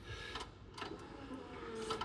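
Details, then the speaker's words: 1999 Land Rover Defender Td5 diesel that ran badly, after replacing a wrong green-top 15 psi injector with a correct black one: faint brief whirring buzz at key-on before cranking; fuel pump priming normally. "So here we go. The fuel pump's pumping. Will it start or won't it start?"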